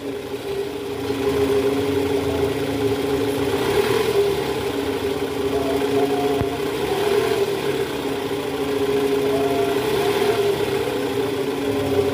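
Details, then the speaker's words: Toyota Vellfire 2009 2AZ 2.4L after its worn balancer shaft was replaced (complaint was a krrr noise from the oil pan at cold start, in D/R with A/C on): a smooth, even idle, much quieter than before. "Oke suara mesinnya ini jauh lebih halus dibanding awal"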